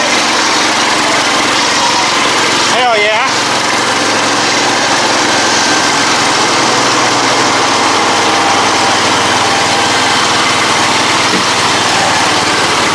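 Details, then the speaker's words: Ride-on mower after swap from 12.5 hp Kohler single to 22 hp 670cc Briggs & Stratton V-twin with custom headers and Yamaha V Star dual exhaust: loud, steady, even roar, no knocks or misses; running normally. "It's funny cuz when it's coming at you, it sounds like a lawn mower, but when you turn and get on it, it sounds exactly like that thing used to."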